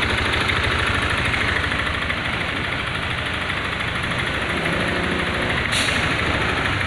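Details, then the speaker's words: Honda Scoopy 2021 scooter at idle turned very rough two days after an oil change: harsh gravelly clatter about three beats a second; abrasive grit had been put in the oil, damaging piston, cylinder and con rod. "jadi Scoopy 2021 ini suaranya kasar di sama seperti di video awal ya yang kita dengarkan bersama-sama ya Suaranya sangat kasar"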